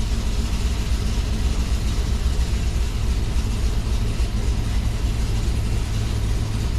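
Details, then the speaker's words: 5.3 V8 with DOD/VVT delete and new intake, idling after a tune flash: deep lumpy stumbling idle, still misfiring; it didn't misfire before flashing, owner suspects the tune, cause unconfirmed. "All right, let's try again. Still misfiring on those cylinders, but I have a feeling that has more to do with the tune."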